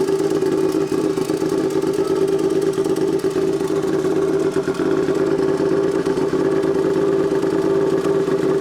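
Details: Turbocharged Royal Enfield twin, tuned custom build, just started and warming at idle: steady mid-pitched drone with constant crackle of small exhaust pops (backfires); healthy idle, quieter than expected.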